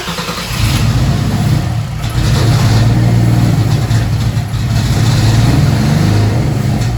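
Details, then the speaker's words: Mercedes W203 turbo M104 engine with 440cc injectors during tuning: cranks, catches, runs lumpy with surging and sagging; rough running, owner unsure, possibly too low fuel pressure. "now that could be maybe because of too low of a fuel pressure or something like that i don't know i'm not a tuner"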